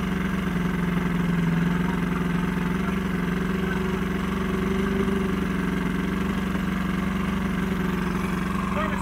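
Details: Old Johnson 90hp outboard on a 1987 Crestliner aluminum boat, sat about a year, fresh plugs; buzzy, uneven idle with a wavering low drone; runs rough, needs carb work and fuel lines cleaned.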